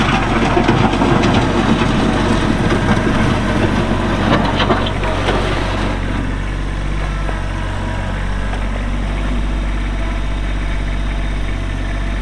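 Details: Kubota B7500 4WD tractor with LA302 front loader, 60in belly mower, hydro drive, 21HP diesel, 1,249 hours, just started: even, steady low diesel clatter with no knocks or misses once the extra noise settles; normal, healthy running.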